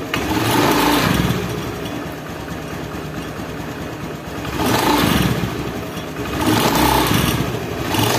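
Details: Honda Beat injection scooter CVT knocking (klotok) while revving in slow swells, rough rattling clatter under the engine note, from a loose bearing seat on the pulley shaft.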